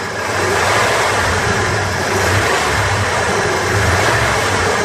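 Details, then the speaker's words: 1988 Ford F250, 5.8 L (351) V8, sat two years, new plugs, cap and rotor; revving shows an uneven, lumpy exhaust pulse that periodically skips, a dead cylinder misfire; a clogged fuel injector is suspected. "definitely got a dead Miss and you can listen to the exhaust you hear that and then it's skips so uh I'm pretty sure one of the fuel injectors is clogged"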